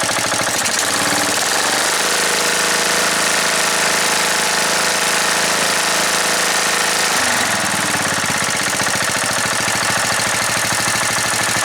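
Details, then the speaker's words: Riding mower single-cylinder engine after carburetor rebuild with ultrasonic cleaning: runs steady, revs to high, then drops back to a smooth, even low idle, sounding like a brand new carburetor; normal high and low idle. "Alright, it sounds very good on low idle. Sounds like I put a brand new carburetor on it."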